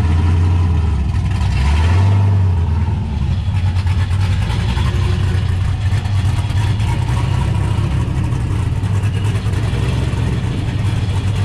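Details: 1969 Camaro with swapped LS V8 and T56 from a GTO donor, built nine-inch rear, started after a couple of months sitting, following ride-height shackle fix; deep choppy loping idle after quick revs, strong lumpy cam; sounds good, normal cammed V8 idle.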